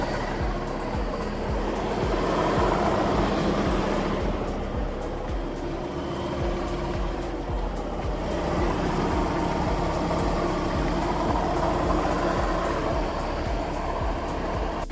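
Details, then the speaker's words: 2019 Audi Q7 3.0T supercharged (4M): marble-like grinding over the running engine, easily mistaken for a supercharger bearing. Removing the supercharger belt traced it to a failed A/C compressor clutch pulley, which was replaced and ran quiet afterward. "So the AC pulley went out on the Q7 3.0 supercharged, and to everyone that thinks that it makes a supercharger sound like I did, you'll very much think it's a supercharger sound."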